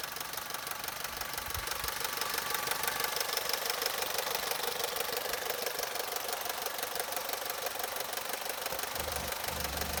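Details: Opel/Vauxhall Corsa 1.2 Z12XEP 80 hp at idle: light, fast metallic rattle about three ticks a second over a steady idle, suspected timing chain noise.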